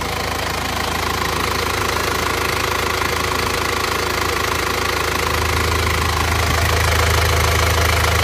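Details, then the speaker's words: Panther Touring diesel after repair that replaced valve seals: blow-by cured, where before it smoked even when cold. Even, steady idle clatter, no puffing or misses. Normal idle. "Untuk suara mesinnya seperti ini. Ini sudah sembuh juga dari ngobosnya."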